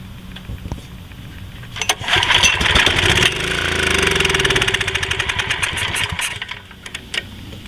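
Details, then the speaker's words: Generac 4000XL generator, GN-220 7.8 HP OHV engine, stale gas, suspected stuck carburetor float, choke on, carb cleaner sprayed into intake: catches, fires unevenly about four seconds, then dies, fuel-starved; brief firing then dying. "all right so it looks like it will run and or attempted to start with just that little bit of carburetor cleaner"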